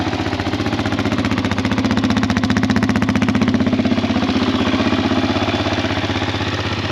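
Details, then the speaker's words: Kawasaki KFX400 ATV single-cylinder engine after starter clutch replacement, started with key: steady even thump about four beats a second at idle, no knocks or rattles; healthy idle. "we're going to try to flip it now see what happens um she runs fantastic"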